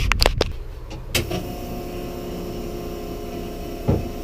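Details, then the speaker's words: Nissan SIL80 drift car with 040 fuel pump, recently cleaned, fuel filter a couple events old, after power cut-outs at full throttle: after clunks, loud steady droning whine with a different note than normal; owner suspects a dying fuel pump. "However, I've just got this feeling, you know? And when a fuel pump sounds like this, I think it's trying to tell me that it's fucked."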